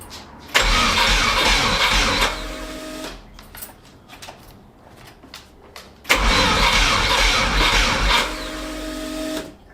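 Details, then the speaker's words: VW T3 Combi with swapped Subaru engine, no ignition yet: two rough, sluggish three-second cranking bursts with no catch, starter turning slower with each try; owner first suspected the battery. "Parce que j'étais en train de chercher d'où venait le problème de pourquoi j'avais pas d'allumage. Et plus je faisais des essais, plus t'as entendu le démarreur tourne de moins en moins vite."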